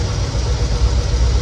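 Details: 1969 Chevelle SS big-block V8, sat 37 years, now running rough: deep lumpy idle with a cylinder dropping out. Exhaust temperature checks show one cylinder cooler than the rest. Owner suspects carburetor debris, fears lifter or valve. Rough idle with misfire.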